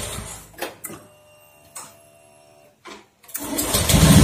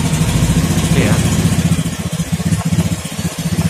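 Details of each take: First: Honda Beat FI scooter after cleaning the CKP sensor with compressed air (history showed CKP fault; it was only dirty): a few clicks, then engine catches immediately and runs with a strong even beat before shutting off; clean healthy start. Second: Honda Beat FI injection scooter hard to start: labored, uneven low pulsing about three to four beats a second, starter sometimes weak; stored DTC history points to CKP sensor, most likely dirty, or a peeled wire or poor socket connection.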